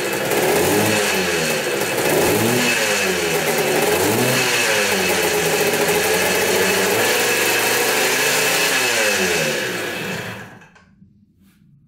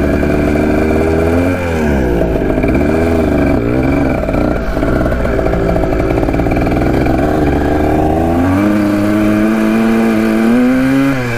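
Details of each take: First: 1980 Kawasaki KDX175 two-stroke after fitting a silencer with an O-ring to dampen the noise: a crisp, even ring-ding through the blips, much quieter than before; normal running. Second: 1980 Kawasaki KDX175 two-stroke after revival from a locked-up state: a ringing note that revs out all the way but climbs slowly and lazily; owner suspects the carb slide.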